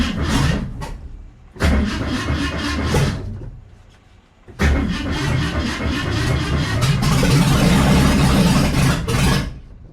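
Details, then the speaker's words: Mustang after sitting over 20 years, first start after engine reinstall and gasket leak repair: starter churns in bursts, then the engine catches and runs unevenly; timing needs adjusting for it to stay running. "so as you can see we got it running now we just need to adjust the timing so it actually will stay running"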